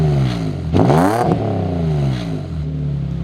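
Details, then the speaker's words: Cheap imported Nissan 350Z, warmed up: a deep, throaty idle with a couple of sharp throttle blips that rise and fall cleanly, deeper than another car's high-pitched note; a healthy engine with a mellow exhaust. "Just a couple of little blips so you can hear the depth and the angriness."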